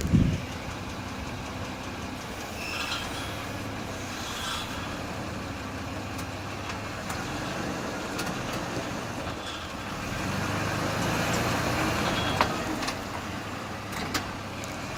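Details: 2003 Ford E150 V6 while driving: uneven knocks and metallic rattles over a steady engine drone, partly a loose exhaust heat shield; source of the separate knocking unknown.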